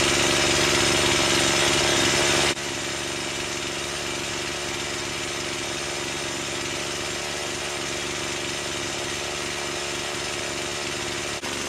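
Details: Stihl MS170 with Amazon replacement motor, after swapping the Holzfforma carb for a brand-new stock OEM Stihl carburetor: crisp steady high two-stroke buzz, no stumbling or surging, less smoke; owner says it woke it up; normal running.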